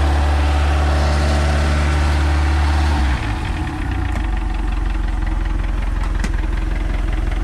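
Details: MerCruiser Alpha One Gen 1 3.0 L 181 cid 140 hp boat engine after a tune-up with new points, condenser, cap, rotor, plugs and wires: deep, even idle rises cleanly when given a little throttle, then holds a smooth, steady beat with no misfires. Normal revving.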